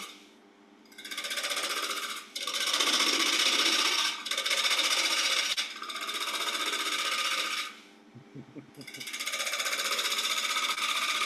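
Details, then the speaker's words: Wood lathe at about 800–900 RPM turning a Saturn bowl, gouge at centre height establishing the rim: bursts of hissing cutting with a fast steady knock; interrupted cut on an out-of-round bowl blank. "You can hear that knocking, and you can probably see in the tail camera the shadowing of the timber."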